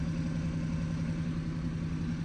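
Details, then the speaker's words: BMW 118i at 42,339 miles, flashing engine light and drivetrain light: low rough idle with a dull drone and unsettled shake, engine and gear stick wobbling, a constant misfire, earlier reported as an exhaust noise. "Flashing engine management light, constant misfire, and drivetrain light. Car's running, running all full."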